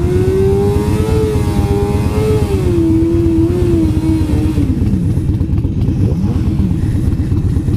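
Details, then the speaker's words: Motorcycle with exhaust muffler fallen off while riding, now running straight-piped: harsh, loud, raw exhaust bark rising and falling with throttle, far louder than stock; rider first noticed only a weird noise. "I didn't even see it fall. Because I kept hearing a weird fucking noise. I'm like, what the fuck is that noise?"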